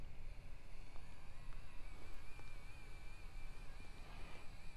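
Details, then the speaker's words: Utility linear actuator rated 220 lb, helical-style drive, running on controller: faint steady high motor whine at very low level, no grinding or clicking; normal quiet running. "see that's very quiet and again that's because it uses this helical Style Drive mechanism"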